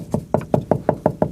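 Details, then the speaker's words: 1977 Dodge D-600 (318 V8) sat 23 years: knocking on fuel tank gives dull, hollow, deadened thuds with no ring; owner suspects tank is thick with mud and debris, possibly leaking. "That sounds thick. That probably has caca and mud."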